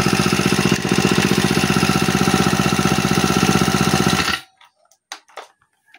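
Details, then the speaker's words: Honda G35X four-stroke brush cutter after valve clearance, timing and carburetor tune-up, starts on one pull: quick, very even idle with no misses or stumbles until shut off; normal idle. "Tapos napakaganda pa ng kanyang idle mga boss. One click 'to mga boss."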